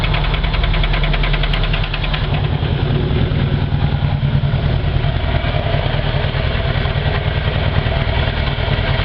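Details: Mercruiser 3.0 liter marine petrol engine at idle, heavy low rumble with a repetitive knock, still running three years after the knock was first heard at winterization: engine knocking.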